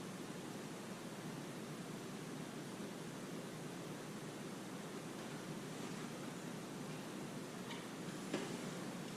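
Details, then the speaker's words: Slab water leak heard through ST-2000 leak detector, line pressurised with air compressor: steady, even hiss loudest at this spot, pressurised water escaping under the slab, probably from an old iron pipe; water leak hiss. "Wow, look at that. You can hear it really close. It was unbelievable."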